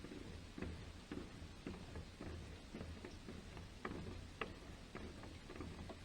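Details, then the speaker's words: Fiat Ducato campervan conversion, rotating roof vent turning in the wind: irregular light ticks and patters, roughly two a second, over a low wind rumble. Annoying on windy nights; owner plans to remove it. "hear that turn around yeah that's why I need to take that out uh so I think if you got windy night that would just be too annoying"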